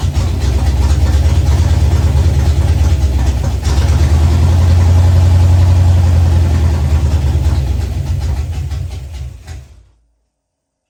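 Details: Ford Fox-body Mustang, rebuilt 302 V8 with new cam, after adjusting ignition timing. Even, deep, regular idle rumble, swells briefly, then shuts off cleanly: normal idle.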